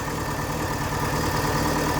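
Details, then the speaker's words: VW Gol flex-fuel running on gasoline at idle: weak, lumpy idle with a shaky low throb and irregular pulsing, engine shaking a lot. It also leaks, and the oil light flickers once warm until revved. "Motor tremendinho bastante. Na verdade não pode. Tá tremendo muito, né?"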